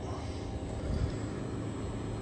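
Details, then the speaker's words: Two-head Mitsubishi mini split after replacing a damaged control board and power board that caused a serial comm error lockout: both heads on, smooth even low hum with steady drone, no cycling or rattles; air blowing coldish, running normally. "blown coldish so definitely a lot better than last time so we should be good to go"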